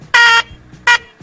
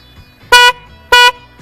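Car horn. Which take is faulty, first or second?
first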